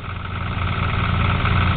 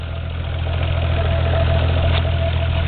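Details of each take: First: Toyota Supra with a used, roughly modified 7M engine, allegedly 30 over, just started: loud, rough idle with a deep knocking pulse from a rod knock; it also blows smoke from the oil cap hole. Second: Toyota Supra 7M six-cylinder, modified, idling smooth and quiet just after startup with no knocking, compared against another 7M with rod knock; normal idle.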